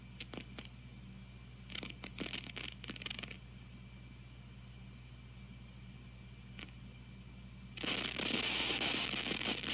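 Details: TG-TEK tablet with headphones plugged in, while downloading or multitasking: irregular bursts of hissy crackling over a low hum, then a harsh sustained crackle. Not present otherwise; cause unknown.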